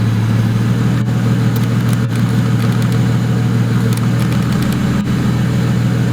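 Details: 2008 BMW 135i, single-turbo build of about 752 whp, started after clearing codes. A deep idle hum dips and stumbles every second or two. A throttle-valve potentiometer/air-mass plausibility code makes the owner suspect a MAF or TMAP sensor; not confirmed.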